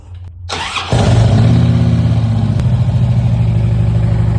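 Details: 2009 Harley-Davidson Road Glide first started after a primary rebuild with the tensioner, new compensators, gasket set and fresh fluid. It catches within a second and settles into a steady, lumpy V-twin idle with no primary rattle; healthy.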